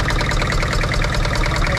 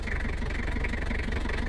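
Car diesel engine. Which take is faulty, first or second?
first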